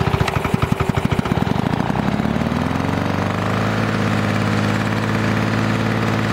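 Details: Restored 1982 Lawn-Boy Scamp 4503 20-inch two-stroke push mower, new engine parts breaking in, 32:1 premium oil mix: fires with sharp separate pops, then settles into a smooth, even buzz at steady speed; normal running.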